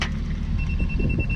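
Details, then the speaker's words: Bosch rotating laser receiver on grade rod while digging footings with Kubota in hard ground: single steady high beep over digging noise, receiver signalling rod below grade (reading up 1/4 inch). "I think it said, I know it's saying go up because of the beep. Oh, up 1/4."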